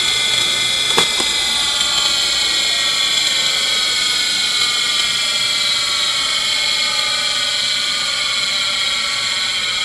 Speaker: now sometimes it'll turn on and sometimes it will not turn on like i said it may be a stark capacitor we're not quite sure